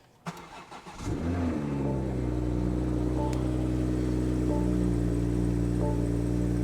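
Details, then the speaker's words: Wrecked 2023 BMW M240i being rebuilt, first start on a jump box with distilled water in the cooling system: short crank, then it catches and settles into a smooth, steady idle with no knocks or ticks; sounds perfect. "What the heck? That sounds perfect. What in the... Listen to that. That's literally butter. What in the world? That's literally butter. That is so smooth."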